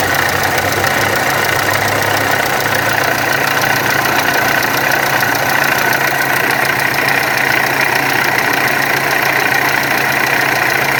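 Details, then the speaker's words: VW Amarok turbo diesel: loud rough idle with harsh uneven clatter about three per second; camshaft pulley and high-pressure injection pump timing found out, water pump also leaking. "ô galera aqui na maroka ela tava fora do ponto a polia de do comando aqui eu tive que colocar depois não deu certo nem a da bomba de alta também tava fora só lá embaixo"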